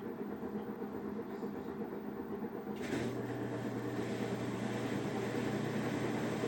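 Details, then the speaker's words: Samsung washing machine after the calibration procedure: steady low rumble with a hum rising in pitch as the drum speeds up, same noise as before; owner suspects a bad drum bearing, unconfirmed. "I hope you can hear that noise I can hear it fine it's same noise exactly bad bearing on the [Music] machine this is after calibration procedure"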